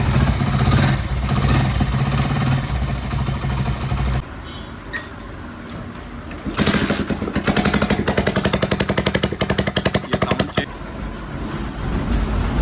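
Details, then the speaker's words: Hero Splendor Plus, carburetor model, at idle: sharp, rapid puffing, crackly ticks from the exhaust, heard as an unusual sound. Exhaust leak at loose silencer bolts and a worn gasket. "इसके अंदर दिक्कत एक अनन्यून sound आ रहा है। वो किस चीज का साउंड है वो मैं स्टार्ट करके बताता हूं आपको।"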